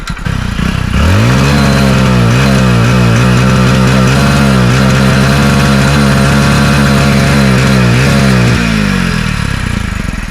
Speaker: तो दोस्तों, अब इस कार में मिसफायरिंग हो रही है क्योंकि साइलेंसर में पानी घुस गया है।